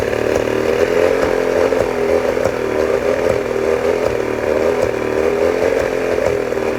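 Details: 1989 Johnson Tracker 40 hp two-stroke outboard: a buzzy drone at steady speed whose note wavers with uneven pulses, hinting at an occasional skip; owner suspects a misfire. Rough running, not confirmed.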